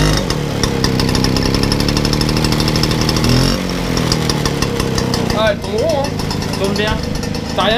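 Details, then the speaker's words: Motobécane AV89 Balancier two-stroke moped, carburettor cleaned, exhaust kept for its sound: quick, even popping at a steady idle with no misses or surging, described as sounding hollow and good. Normal idle. "Ouais, elle sonne creux, elle sonne bon, ouais."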